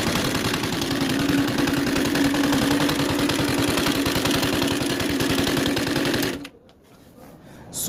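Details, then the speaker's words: CG 150 motorcycle engine at idle: a heavy, deep knocking, about three to four per second, like a stone rattling inside, judged deeper than a valve noise and stopping with the engine; a broken pushrod was found on teardown. "como si tuviera una piedra adentro y ese sonido no es válvula ese sonido Así que vamos a desarmar para ver por qué ese ruido porque ese ruido no es como dije de válvula este más más profundo"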